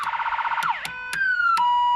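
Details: Electronic siren fitted in 1992 Chevy G30 van, tested after installing a battery: loud unit cycling through yelp, wail and steady tones, switching modes cleanly; siren works, though the PA does not.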